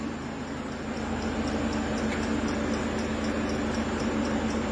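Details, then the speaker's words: Peugeot 5008 diesel idling after FAP additive tank replacement, no low-additive dashboard warning; crisp ticking about four times a second is the additive pump priming normally, which must be left to run for a while. "voilà donc là on entend bien la pompe qui est en train d'amorcer voilà il faut la laisser faire ça va durer un certain temps"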